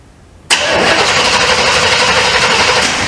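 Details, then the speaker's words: 1948 Ford F1 panel truck with 400 small-block Chevrolet and 400 transmission: starter cranks steadily about four turns a second but engine never fires; spark check shows no spark, crank no-start. "Nah, it ain't no spark."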